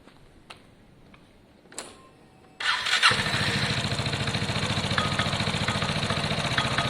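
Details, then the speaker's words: Piaggio Fly scooter on its centre stand, after a very basic test ride, starts and settles into a fast idle with a light, irregular metallic rattle over the beat. The owner first suspected the rollers, but it is centrifugal clutch rattle, said to be common on these scooters. "so i just took it for a very very basic test one it's got a bit of a clutch noise um it's quite common with these a bit of a clutch rattle i thought it was rollers up first but listen"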